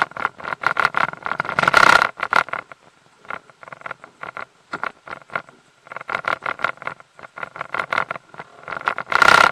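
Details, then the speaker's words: Mercury 150 HP outboard in gear: irregular clattering rattle and knock over a steady whine, caused by the propeller torqued to only 40 ft-lb instead of 55; fixed by tightening it to 60 ft-lb. "it's when the propellers loose on there and when you put it in gear it rattles and knocks"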